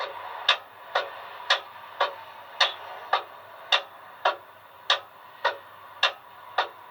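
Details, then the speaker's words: Car with a weak, dying battery when the ignition key is turned. Sharp, even clicks come about twice a second with no cranking because the starter lacks power. Weak battery suspected. "click sound when cranking besides weak cranking you may hear just a click when you turn the ignition key"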